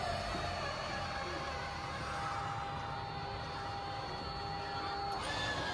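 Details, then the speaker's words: Brand-new 2020 Lance 1985 trailer, Lippert Schwintec slideout motor: steady whine that strains and bogs under load as the slide extends, right side stalling and pushing the left side out crooked; cause unknown. "okay here's the problem we're having with our slide out hear how it's bogging down"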